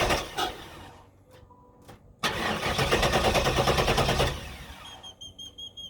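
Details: 1994 Trans Am Formula V8 that died under hard acceleration then idled low and rough; opti, coil and ignition module replaced, has spark and fuel (owner suspects low fuel pressure), slight smoke from exhaust and throttle body: cranks evenly but never fires.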